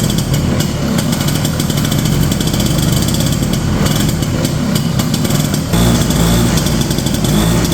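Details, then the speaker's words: 1970 Ski-Doo Olympique 335 two-stroke snowmobile from auction, jets turned nearly all the way in: uneven burbling, loads up and won't clear, flooded with gas coming from back of carb; rich running, dies on revving; owner suspects leaking carb diaphragms. "Oh, I think we're definitely flooded at the moment. Seeing a lot of gas coming out of the back of the carb there."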